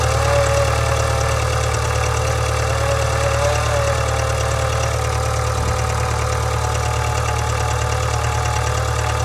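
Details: 2013 Subaru 2.0 boxer engine at idle: a steady hum with a regular light knock, about three per second, from the engine. Engine knock, cause not identified.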